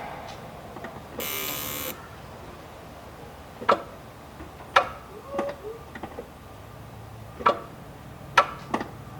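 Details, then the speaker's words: Automatic Mk2 VW Jetta with the microphone in the engine bay: only faint isolated clicks on the key and no cranking at all. The starter motor is dead and gets replaced. "so it sounds like our starter is completely dead you can hear it kind of click but not enough to even try and turn the engine over"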